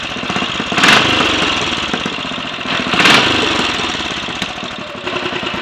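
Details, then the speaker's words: Royal Enfield 500 single (Asbo 34), rebuilt with ported head, barrel shortened 2 mm, Hitchcock's 9:1 piston, strobe-set timing; third start, about 10–15 minutes running since rebuild: even idle thump, two throttle blips rising and settling cleanly, no rattles, leaks or smoke; normal idle. "well no leaks no rattles and no smoke plenty of compression"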